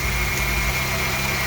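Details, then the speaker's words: 1998 Honda Odyssey with JDM F23A engine swap, first successful start (died on first try); steady even idle hum, no knocks or ticks, no valve adjustment done; engine sounds good, cold just after fill. "Then the second start, fired up. Seems to be running really good. Sounds good. I did not do a valve adjustment, but it sounds okay to me."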